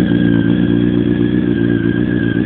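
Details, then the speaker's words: 2004 Yamaha R1 custom build, 16,736 miles, just started and left idling for oil circulation: steady, even idle with smooth firing pulses and no knocks, ticks or hunting; normal idle. "time I crank it up, I let it idle so the oil can circulate in the motor."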